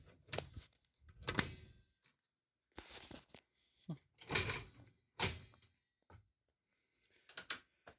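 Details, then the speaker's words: 1979 Panasonic PV-1200 VCR not running: irregular sharp solenoid clicks and thunks about once a second, no motor; power supply was first suspected, but an intermittently shorting bulb was the cause. "You can hear it takes forever to discharge that freaking solenoid, so. Yep, I think the power supply is dead."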